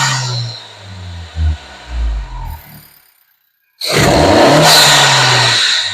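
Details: 2024 Honda Civic Si, just after installing a 27won short ram intake: after a brief pause the engine revs hard with a loud, even intake roar and no knocks or rattles. Sounds healthy.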